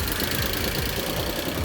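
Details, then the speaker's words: Idling engine in one of the cars (2000 Audi A8, 2004 Passat or 2003 Jetta) that the owner bought without full information: a rough idle with a dull, heavy knock buried in the running noise. The owner calls it a rod knock. "You hear that noise? It's a rod knock."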